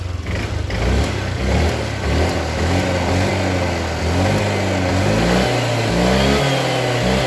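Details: Honda Vario 150 scooter that died when throttled after morning starts, fuel pump pressure around 40, fuel filter being serviced: fires up and revs cleanly, tone rising and falling smoothly with no stumble or cut-out; running healthy.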